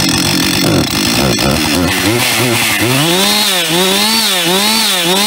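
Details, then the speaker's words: Husqvarna 562 XP chainsaw running with a wavering note and harsh metallic rattle; worn piston suspected, teardown showed a worn piston with piston slap. "Lieben heute habe ich hier eine Husqvarna 562 XP die ein bisschen laute Geräusche macht vom Motor her ich vermute ein verschlissener Kolben"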